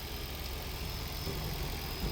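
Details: 2008 Toyota Prius Gen 2 auction donor car, after sitting long and a strange start-up noise from dry top end: steady low idle, even rumble, no knocks or misses; engine running smoothly.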